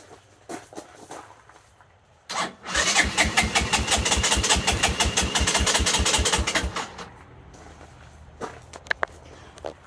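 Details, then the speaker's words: 1984 Honda Big Red 200ES ATV that ran when bought, timing set and ignition rigged: steady electric-start cranking, quick even chuffs for about four seconds without a single fire; cranks but will not start. "t and set the timing, and it still won't start, which I'm going to show you right now."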